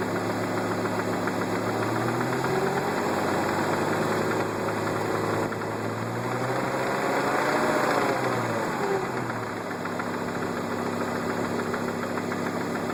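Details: Volvo S70 T5 five-cylinder idling: steady light knock a bit over three a second; owner asks whether it is rod knock, unconfirmed.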